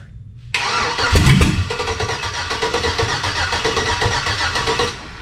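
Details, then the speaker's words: Chevy V8 swapped into Jeep Comanche pickup, hotwired starter and fuel pump, spark and fuel pressure confirmed, runs only on starter fluid: cranks about four beats a second, a couple of weak catches, then dies; barely fires, no start. "so we're trying to crank it over and it's just barely firing off and then it just won't do anything more"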